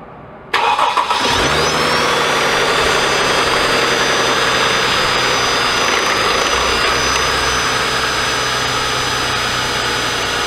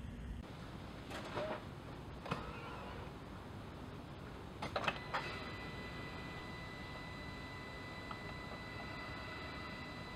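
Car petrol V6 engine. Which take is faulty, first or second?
first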